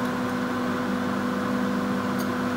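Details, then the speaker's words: Stainless-steel executive carriage, KA Mutiara Selatan Surabaya–Malang: loud steady drone with two fixed tones over soft rumble from the AC unit mounted mid-carriage. Loud air conditioning hum. "Kelemahannya adalah suara bising AC terdengar jelas. Cobalah untuk mendengarkan, teman-teman. Terdapat suara berdengung karena mesin AC terletak di tengah gerbong."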